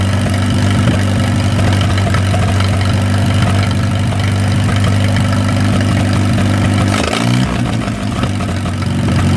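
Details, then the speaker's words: 1937 Willys four-cylinder flathead generator engine, revived after sitting covered 15–20+ years, running after plugs fouled by transmission fluid were cleaned: steady deep, slightly uneven chug with a brief blip, no heavy knock; normal running, cooling system and sticky water pump still need work. "Well, that is just fantastical right there. Y'all watch how quick this thing fires up. I'm just amazed. Well, now that I got it running pretty good, I need to work on the cooling system a little bit."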